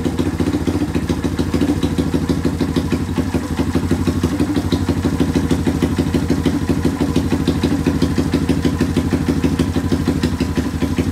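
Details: Rare two-stroke single-cylinder motorcycle revived with a newly fitted two-stroke spark plug, good compression and cleaned parts; steady, even idle with a regular beat and no misses, surging or knocking: normal idle.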